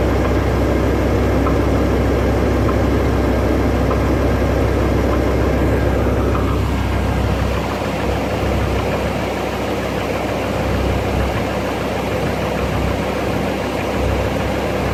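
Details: 2006 BMW M5 E60, warm idle: slow, somewhat uneven knock from the bottom front of the engine, appearing only when warm and speeding up slightly with rpm; owner suspects VANOS pump; VANOS pressure good, no codes, no power loss.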